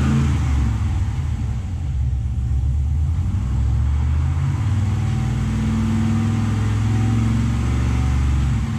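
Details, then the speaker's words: Nissan Patrol with swapped 6-litre Chevrolet L98 V8, new engine-bay loom, after plugging in the throttle pedal; fires and settles into a steady deep even run with light throttle blips, running properly now. "It goes vroom vroom now."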